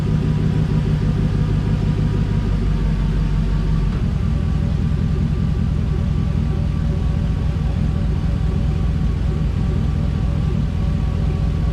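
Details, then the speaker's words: 1988 Firebird with a swapped 5.3 LS V8 at idle, about 181°, no load, after a stuck thermostat was freed; a lifter tap is suspected. Deep idle with a slightly uneven, loping beat; it may be missing slightly. "we're not really under a load either so kind of sounds like it's missing a little bit"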